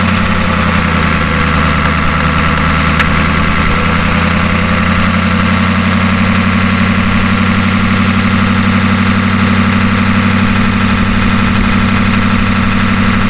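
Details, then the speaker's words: Ford F250 with a 6.9 IDI diesel just after injection pump replacement: a steady, even idle with a low throb and light injector clatter, no misses. There is a slight idle surge, which the owner thinks may need more fuel cycles. "and there you go it's all running like normal just the way it should idle it down and a little bit of a surge issue right now"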